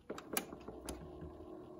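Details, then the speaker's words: Hitachi TRK-8300E 1980s boombox cassette deck on play, fast forward and rewind: button clunks, then only a faint steady motor hum with no tape or counter moving. Suspected broken main drive belt and possibly counter belt. "again you can hear the motor but nothing's turning and Rewind same again and also you can see from the counter I reset it but nothing's happening so either the um well I imagine the main drive belt has gone and also the counter belt May well have gone as well"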